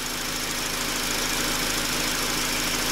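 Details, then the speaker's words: 2004 Honda Accord EX 2.4L four-cylinder, previously overheating to 220–230°F ECT at idle, now fixed; after about 30 minutes running, ECT near 195–203°F: even hissy rush of both cooling fans over smooth idle, no rattles; fans running normally. "all right vehicle's been running for about 30 minutes and it is fixed you can hear both fans coming on you can see them right there"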